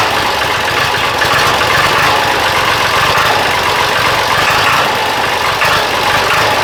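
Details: Diesel engine idling after injection pump timing adjustment and bleeding the injectors, with a miss/hesitation complaint: harsh clattery rattle through a loud hiss with a knock-like edge; throttle response still poor. Knocking noise at idle, cause not confirmed.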